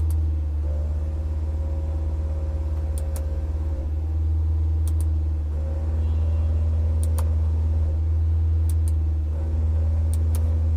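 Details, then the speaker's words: Honda Brio, engine at about 2,000–3,000 rpm with the AC switched on: steady droning hum with a higher whine from the AC compressor, silent with AC off and at normal revs; compressor noisy, to be replaced. "हम इसका race लगभग 2 से 2 से 3000 बीच में जाते हैं तभी compressor आवाज़ करने लग रहा है"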